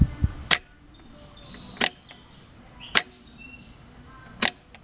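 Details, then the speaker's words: John Deere 4200 compact tractor, key on: four crisp clicks a second or so apart over quiet background; fuel shutoff solenoid pulling in properly after pull-in winding rewired to starter relay for full current. "when you turn the key on you should hear it click done the fuel shutoff solenoid and you can clearly hear it now"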